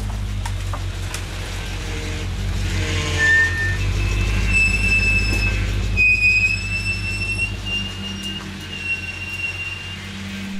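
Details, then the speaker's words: BMW 535ia after engine reinstall, first start: engine running with a thin high whine that rises then holds steady as the power steering pump fills with fluid; music over it. "on entend bien à la pompe de direction assistée qui se remplissant"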